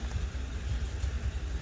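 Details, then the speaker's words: Honda Shadow V-twin idling after its first start since 2019, following gummed carbs and a swollen, burst lithium-ion battery: soft, low, even thumping idle ticking over steadily in the background; idling normally. "But it's starting, it's idling. I'll rev it up, which is a good thing."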